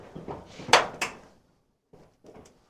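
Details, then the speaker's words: Squarebody Chevy/CUCV door after new striker bolts were installed and adjusted and the hinges checked and lubricated with assembly lube: the door swings and latches with two clean clicks, no creak or squeak, noise gone. "Solid, opens, shuts, no more noises."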